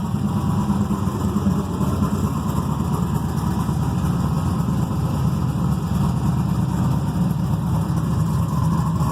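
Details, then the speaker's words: Carbureted 6.0 LS V8 with mechanical fuel pump and distributor, freshly built, heavier pistons, solidly mounted in a race car frame: deep even burble holding steady, no miss, knock or shake; normal revving. "i figured if there's any uh uh balance issues it should vibrate your teeth and it doesn't it seems like it uh is nice and smooth"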